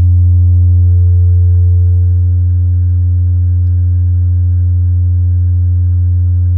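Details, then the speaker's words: Miller & Kreisel V-2B subwoofer amp after capacitor replacement, with test tones swept down to 15 Hz and under 10 Hz: steady, pure low tone with no buzz or hum; clean output, with ripple around 0.14 V. "there's all the way down to 15 hertz and that's all the way down to under 10 hertz the thing sounds absolutely perfect"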